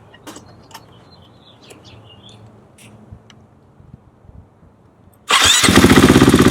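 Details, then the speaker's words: KTM/Husqvarna bike that lost power, after replacing in-tank fuel pump and filter and securing the fuel line: fires straight up and settles into a firm, even beat, noticeably stronger; normal running after fuel pressure fix. "it sounds quite a bit stronger"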